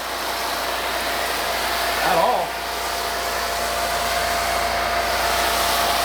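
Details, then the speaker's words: RealYou no-dilution foam cannon (soap tank on top, under $20) spraying undiluted Adam's Mega Foam: steady, even hiss with no spurting or sputtering; huge foam output, uses little solution, normal spraying. "Guys, as always with Adam's as mega foam, the foam production is insane."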